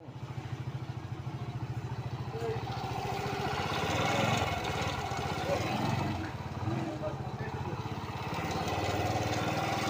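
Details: Honda Pop 100 small single-cylinder motorcycle idling with a steady, slightly uneven tapping rhythm over the exhaust putter; engine noise of unidentified cause.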